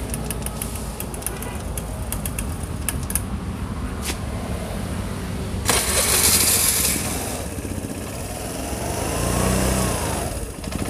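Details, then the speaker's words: Imported carbureted Vespa LX (Piaggio) single-cylinder scooter before servicing: sputters and surges unevenly, revs rising and sagging, won't hold a steady idle; hard to start and burns about 6 L/100 km. "cho nên là xe nó nổ khí trạng thái nó không được được được đấy"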